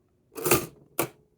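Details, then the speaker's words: Newer Facit NTK mechanical calculator with sound-insulated interior, tabulator shifting the setting register left: two crisp ker-chunk clunks about half a second apart, bell ringing more consistently than on the older TK. Normal tabulator operation with bell. "you can hear the Bell actually works a bit better on this one it's a lot more consistent so it rings through a bit when you use the tabulator"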